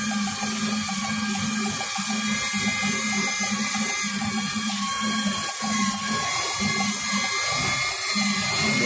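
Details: Ford F-250 V8 with a rough idle and a cylinder 7 misfire code: sharp, steady high-pitched whistle like a pressure cooker over a slightly uneven idle; covering a rear hose by hand stops the misfire, so a vacuum leak.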